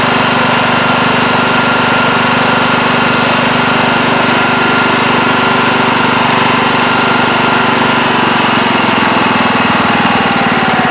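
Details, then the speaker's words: Late-1990s Scotts lawn tractor, single-cylinder Kohler, had surged after sitting for years; after carburettor cleaning and rebuild it holds a steady, even idle with only faint wavering, no real surging. "yes seems to be running a lot better now when i first fired it up it did have a little bit of a surge and maybe it still has a slight hiccup but it's pretty good really smooth there low idle also that feels a lot better"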